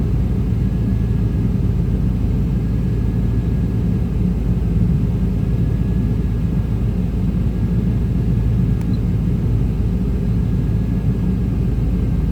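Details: 1995 Chevy Tahoe K-series 5.7L V8 rough idle: slightly uneven lumpy beat; scan shows throttle position sensor not communicating, truck won't shift, TPS replaced twice; owner suspects wiring; smoke seen near passenger-side headers.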